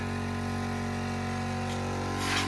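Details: Air compressor in about five degrees cold weather, finally running after a stubborn cold start it dislikes; steady low drone with an even motor hum and a brief hiss near the end, running normally.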